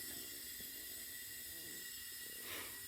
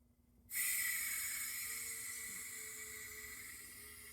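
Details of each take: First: CO2 carbonation cylinder refill through a siphon-tube cylinder, valve opened slowly, pressure rising: steady, even high-pitched hiss with no sputter or whistle; normal liquid CO2 transfer. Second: Refilling a carbonation CO2 cylinder through a refill adapter, valve cracked slowly: a faint hiss, then a loud, sharp, steady rush of escaping gas; the adapter is leaking because it isn't screwed on tight enough.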